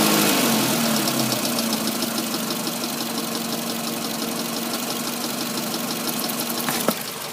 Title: Ticking noise in engine